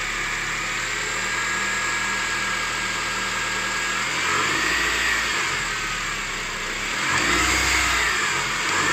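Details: 2006 Honda CR-V K20A4 engine revving through low rpm, noise most pronounced around 1500 rpm: hissing, whirring hum from worn accessory bearings; fixed by repairing alternator and power steering pump and replacing water pump.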